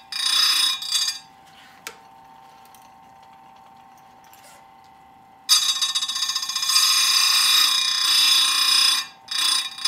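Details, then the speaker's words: Square grinder touching up dull full chisel saw chain with a very light touch, like filing without hogging in: high gritty grinding hiss in short bursts with quiet motor hum between; normal light, even sharpening passes. "the other thing i would comment on is you it's a very light touch really brown file on the saw right you're not hogging into it and bending the file you're just touching it and that's really all we're doing with the grinder"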